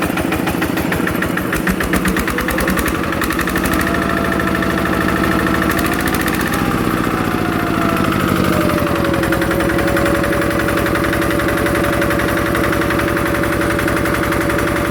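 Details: Yanmar TF85 LM single-cylinder diesel just reassembled with cylinder head closed and new side-cover O-ring: steady even thump at idle, no knocks or misses, smooth and quiet; normal idle.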